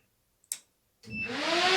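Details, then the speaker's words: 1978 Datsun 280Z with 2JZ swap on ECUMaster Black standalone, engine off at key-on. Click, then whooshing whir spooling up and holding steady: cooling fans running though owner thought they were set to stay off until warm. Fan controller then disconnected. "Oh, I thought I had turned the fans off so they wouldn't come on until it heated up. We might have to mess with that."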